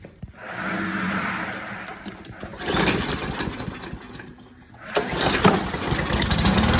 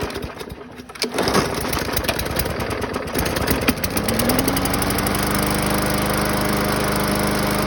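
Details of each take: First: 2015 Yard Machine mower, Briggs & Stratton 140cc, carb with missing o-ring, after carb cleaner spray: sputters and surges with skipped beats, missing; previously ran a couple of seconds and died. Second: 2015 Yard Machine mower with Briggs & Stratton 140cc engine after carb cleaning and sharpening: after a few rough catches it settles into a steady even putter, then shuts off; running normally.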